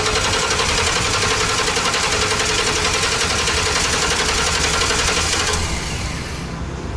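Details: 2012 Ford E350 with a new fuel pump, cranking at about four turns a second with the fuel pump commanded at 50%: the engine never catches. Crank, no start, no fuel pressure.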